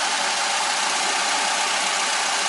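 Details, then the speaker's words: 1998 Ford Escort after rebuilt head installed for intake valve seat failure with piston damage, timing belt back on, first run; steady even idle with a constant hiss and no knocks, misses or stumbles, no leaks, normal idle. "well we got a run in it's pretty good no leaks"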